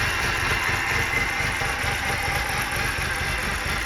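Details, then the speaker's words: 2011 BMW 328i xDrive, first start after engine replacement, no front tires on the car: uneven, shaky, surging idle with a hissy top end, like it's trying to die, though rpm is okay. Rough running, cause unknown. "uh sounds like it's getting worse like it's trying to die rpm is okay [Music] it's kind of surging running a little bit rough it's complaining because there's no front tires on the car"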